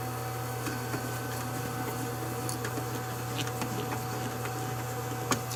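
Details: Fan that had been getting louder for days, after its bearings were lubricated: steady, even low hum with no grinding or rattle; the fan runs smoothly now that the bearings turn freely.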